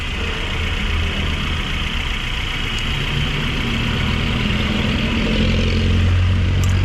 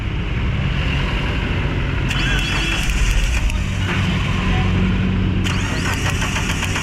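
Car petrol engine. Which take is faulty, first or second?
second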